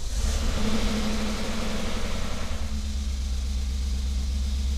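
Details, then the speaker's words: First start after timing chain guide and valley pan gasket replacement on an engine with a cylinder 3 misfire: deep steady idle, even low rumble, no misses or ticking; normal idle. "Sounds smooth."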